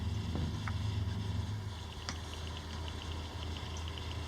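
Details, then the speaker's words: Water-cooled PC, water around 31°C: low fan and pump hum with a faint tick about three a second, believed to come from the back fan, previously caused by a wire touching it. "And that's from that back fan. I had that before and it was a wire touching, so I'm not going to do piss all tonight."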